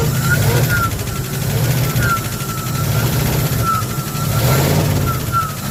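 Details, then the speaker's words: 1974 Ford F100 V8 parked 21 years, revived with several vacuum leaks only partly fixed: deep idle with an uneven, loping beat and periodic stumble, running on seven cylinders. "yeah it's got a crap load of vacuum leaks foreign back up oh yeah we got this part for a while running good on seven cylinders"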